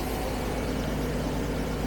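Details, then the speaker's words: Carbureted 1975 Jaguar XJ12 V12, no power, backfiring through a carb: lumpy, uneven, stumbling low idle; one bank is cold with no smoke and not running, maybe three or four cylinders firing. "I think the whole a bank is not running. And we're missing a couple cylinders."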